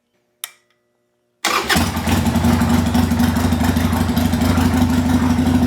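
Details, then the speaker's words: 1998 Harley-Davidson Sportster that sat over a year, fitted with a new Kemimoto lithium battery, tank drained, fuel filter cleaned, fresh gas: it fires almost instantly and settles into a steady, even, lumpy V-twin idle with no misses. "And watch how easy it starts with this battery."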